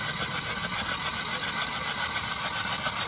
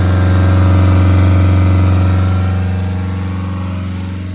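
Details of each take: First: Hyundai i20 flood-damaged engine, hydrolocked, won't start: fast, even starter whirr with no firing, three to four beats a second, cranked with spark plugs removed to clear water; hydrolocked engine. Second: Hyundai i20 flood-hydrolocked engine after clearing water with plugs out: held at high revs, then falls to an idle rising and dipping about once a second; normal running and revving.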